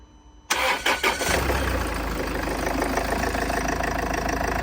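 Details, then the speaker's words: Range Rover (salvage auction car) first start after front-end rebuild: fast catch, loud flare for a second then settles into smooth quiet idle; healthy start, sounds like a new engine. "oh it sounds spawn s like a brand new engine wow it's actually really quiet"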